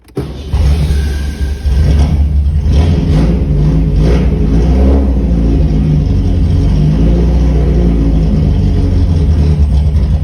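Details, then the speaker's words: VW Gol G1, carbureted, cold engine: it starts on the first try, then settles into a deep, loud, slightly lumpy idle that runs oddly. The exhaust is very loud and probably has only one muffler chamber. "Que regula medio raro, ¿no es cierto? Y es un escape que suena fuertísimo, debe tener apenas una cámara nomás."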